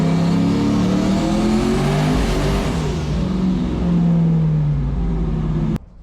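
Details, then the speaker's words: Foxbody Mustang making about 1000 hp, pulling at high rpm under boost: the note sags and surges unevenly, as if cutting out and coming back, then stops. Severe misfire; logs and under-hood checks show nothing wrong. "isn't just a normal misfire this is so bad it looks like it's like trying to shut the engine off and then it tries to come back"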